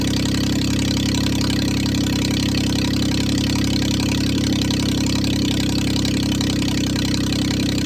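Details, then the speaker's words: 1996 Geo Metro three-cylinder 5-speed manual, first start after fuel system bleeding: uneven hunting idle with a ragged low rumble; won't idle off the throttle, owner suspects the missing idle air control parts. "doesn't really want to idle. If you take your foot completely off the gas, it runs pretty bad."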